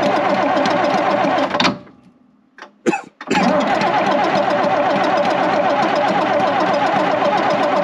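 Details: 82-year-old AEC Matador truck diesel, cold start at minus four with snow, first run since October: clatters into life, nearly dies, catches again and settles to a steady tickover; healthy cold start.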